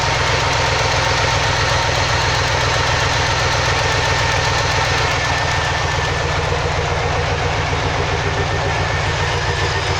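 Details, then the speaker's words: 2003 Chevy Silverado 2500 with 6.0 V8, code P0300 random misfire: uneven idle stumble with beats dropping out at random over a steady rumble. Owner hopes the coil packs are at fault; source not confirmed. "he's got a good mist to it and he's hoping the coil packs there's something wrong with it"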